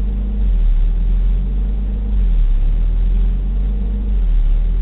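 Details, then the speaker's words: 1991 Toyota 22RE truck, still warming up: engine drone swells and sags about every two seconds, idling around 1,600 rpm off the brake when it should be half that. Idle surging, later traced to a faulty idle air control valve. "the car's still warming up so the idle's dropping still I took my foot off the brake now see the idle's down to what 1,600 it should be half of that"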